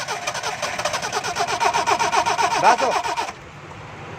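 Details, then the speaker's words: Car won't start after pressure washing, water found in ignition wires and connections: steady starter cranking at about four turns a second with no firing or catch, then stops; wet ignition preventing start. "गाड़ी दोस्तों स्टार्ट नहीं हो रही, तो इसके लिए सबसे पहले हम इसकी वायर उतारेंगे एक एक।"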